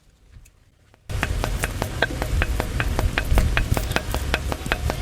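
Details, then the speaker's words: Engine after running low on coolant, during top overhaul with excessive piston-to-liner clearance and rusted liners: sharp chuffing pulses two to three per second over low rumble; risk of eventual blow-by. "Kapag katagalan na ginagamit nyo yung makina, yung sasakyan, talagang may tsansa po ito na mag-blow-by na po ng tuluyan."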